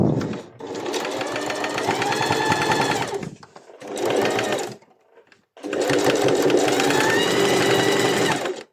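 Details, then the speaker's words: Sewing machine with a horizontal bobbin, after bobbin-area maintenance: even, rapid stitching hum in three runs. The knocking from the bobbin heard before is gone; the bobbin no longer skips and the machine sews perfectly. "Como pueden ver, ese golpeteo que teníamos en un principio ya no está, que era el que se daba justo aquí en la bobina. Ya esa bobina no volvió a saltar, está funcionando perfectamente"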